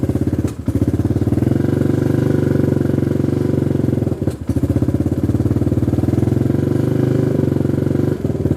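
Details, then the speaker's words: XR150 clone single-cylinder bike idling on choke: a steady thump that falters and dips each time the throttle is touched. It dies when given gas or the choke is released; owner concludes a carburetor problem. "It starts, but classic carburetor problem. As soon as you let go of the choke or give it gas, it dies. So it's definitely an issue with the carburetor."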